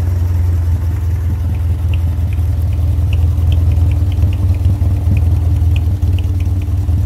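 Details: Subaru flat-four engine swapped into a 1965 VW fiberglass buggy, replacing a 1600 dual port, with owner-built wiring: steady low rumbling idle with an even pulse, no knocks or ticks; the exhaust is louder than the owner would like; normal running, loud exhaust.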